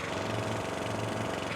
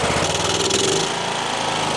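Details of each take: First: Troy-Bilt XP Horse lawn tractor engine: small single running steady with sharp raspy puffing on every firing stroke; exhaust leaking because the manifold is not bolted on. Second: Troy-Bilt XP Horse lawn tractor engine after carburetor cleaning, a sticking part inside the carb found, suspected of limiting fuel: runs strong and steady with even exhaust beat, no stumbling or surging; normal running.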